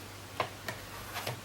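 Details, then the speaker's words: PowerBook G4 15" 1.67GHz (October 2005, A1138) slot-load DVD drive after restart: faint irregular ticks, about four in under two seconds, disc won't go in; owner suspects the optical drive is faulty. "I've just restarted the machine now to take a listen to what the drive does. I don't think the drive is 100% happy in there, folks."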